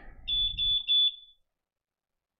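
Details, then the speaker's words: F4 flight controller after flashing Betaflight 4.0: three short, sharp, high-pitched beeps in quick succession, then quiet. The loud beeper works properly. "let's say this is an f4 SD that has a loud beeper"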